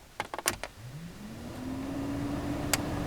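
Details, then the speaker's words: Fiat Grande Punto heater blower on full power after repairing the overheating wiring block connector at the heater resistor pack: switch clicks, then a smooth spin-up to a steady hum; working normally. "two okay so that's working good Straight Up full power"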